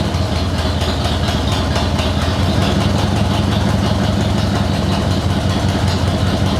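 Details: Motorcycle with CV40 carburetor after choke (enrichener) cable replacement, cold start with choke fully out, on fuel reserve: even, fast-paced idle with steady beat, no misses, knocks or hunting; healthy cold start.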